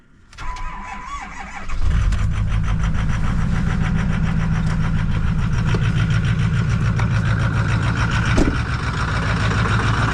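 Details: 2008 Ford F-250 6.4 Powerstroke diesel, 247k miles: cranks, catches and idles with a loud regular clatter three or four beats a second, slapping heard at oil cap; owner suspects cracked pistons, engine being removed.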